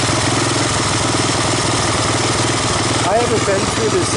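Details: 1985 Honda ATC250ES Big Red single-cylinder after carburetor swap and adjustments, warmed up, choke off: fairly even, steady idle, regular exhaust pulses, no miss; valves untouched; not a bad idle; normal idle.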